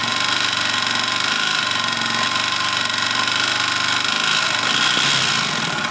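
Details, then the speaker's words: 2005 Suzuki King Quad 700 single-cylinder ATV, warm, microphone moved around the engine: steady idle with a faint repeating tap in the clatter, worse on the clutch side and with revs, blue exhaust smoke; engine knock, cause unknown until teardown. "the knockin I kind of moved the microphone around a little bit to see if you could tell where it was coming from on the motor whether it's top end or lower end seems to be a worse on the clutch side that you can hear it but it means you know as you rev it it gets worse also"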